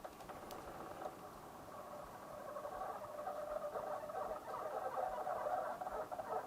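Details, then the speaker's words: Coolmoon Crystal Diamond 120 mm ARGB budget case fans on the remote-controlled hub at the lowest speed setting: rough uneven growl with scratchy patter, about four pulses a second, an odd resistance; middle and higher speeds run silent. "so there is a kind of an odd resistance going on there"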